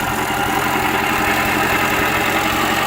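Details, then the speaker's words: Remanufactured Atomic 4 four-cylinder inboard for a 33' wood sailboat (original seized by exhaust water backflow), new carburetor, warm at about 100 degrees, good oil pressure and water flow: smooth, even putter at steady idle before revving, no knocks or misses. "Oh, got to give you a rev. It does rev up very nicely. Here we go. It runs real smooth."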